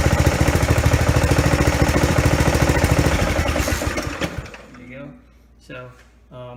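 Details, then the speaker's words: Ariens Zoom mower after replacing the worn pulley, belt still worn: engine fires and runs with a steady even beat, no screech or clang from the new pulley, then shuts down; normal running. "like it's spinning just fine it's it's uh you know it's not like you can still move it up and down but it's you know it's not falling off"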